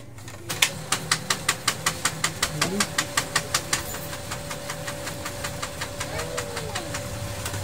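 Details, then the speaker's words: Brother DCP-7065DN laser printer after a paper jam fix: crisp regular clicking over a faint hum as sheets pass, now feeding fairly well; an earlier noise came from the paper tray not being pushed in properly past its sensor. "Ngayon medyo maayos na siyang maglabas ng papel."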